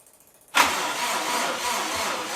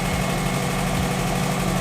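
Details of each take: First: Freshly rebuilt Subaru engine on spare EJ207 block, first start, cranking in short bursts to build oil pressure: starter drags sluggishly with no firing, sounding tired; weak battery, later charged and jumped. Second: Subaru first start after rebuild on a stronger EJ207 bare block: even, steady flat-four idle with a smooth low burble, no knocks or ticks; oil pressure light goes off once running and coolant temperature gauge works.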